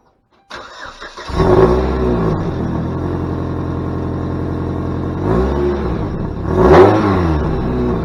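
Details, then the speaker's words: Saturn Ion Redline petrol engine cranks, catches and revs with a steady, even exhaust note and no puffing or ticking, after patching an exhaust pipe hole with JB Weld pipe wrap, not yet fully cured; no major leak remains. "don't have a major exhaust leak to not hear me once this gets gone"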